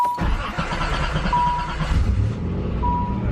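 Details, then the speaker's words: 1988 Nissan 300ZX Z31 project car with a QTP cutout exhaust, first start after 4–5 months of winter storage; the starter turns briefly, it fires right up and settles into a steady, even idle. "Fires right up."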